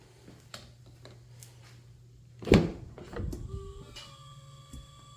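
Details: 2019 Honda CR-V AWD Touring, happens when cool or cold outside: a door clunk then a low hum and buzzy whirring with steady thin tones lingers, starting when the driver's door is unlocked or opened; cause unknown.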